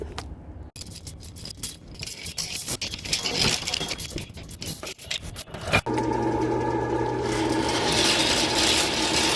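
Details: Sewer drain backed up again three weeks after clearing, line full of scale: rough rasping scrape chattering three or four times a second, then settling to an even motor hum as the drain cable cuts through scale and clears it.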